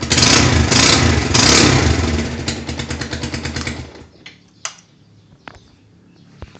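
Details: Rouser 220 motorcycle engine knocking: single rev hard, then drops off and dies, with a rough rhythmic knocking on the run-down; cause unknown, owner asking for help.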